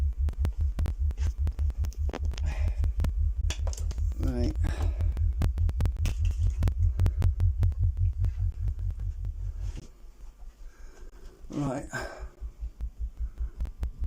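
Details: Speaker after fixing a rattle from a loose ferrite core in one crossover, both crossovers done; clean low test tone pulsing steadily about a hundred per minute with no buzz or rattle riding on it, the speaker sounds healthy.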